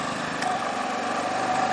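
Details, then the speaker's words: Generac IQ3500 3500 W inverter generator as a 1500 W heater is switched on: steady even engine buzz firms up and climbs slightly, then stabilizes; engine speeding up under load, taking it smoothly. "oh you hear that little darling load up a little don't you and right now there we go it looks like it's fairly stabilized now that's what we're running and watch for this particular heater"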